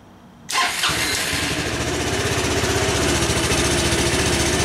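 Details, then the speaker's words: Honda Helix CN250 250cc scooter, salvage bike sitting with old gas: starts and idles with an uneven, lumpy pulse, but stalls when throttle is applied; bogging on acceleration, suspected bad gas. "hey that sounds better as soon as I give it throttle though it doesn't want to keep going"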